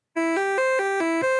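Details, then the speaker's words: Commodore 64 board with a SwingSID replacement sound chip running diagnostic test tone: clean electronic tones stepping up and down in pitch through the waveforms on each channel and the noise channel, no crackle or dropouts; board works. "there it is that's how the diagnostic test should sound as it goes through the different waveforms on the different channels and the noise channel so yeah this this board is definitely working"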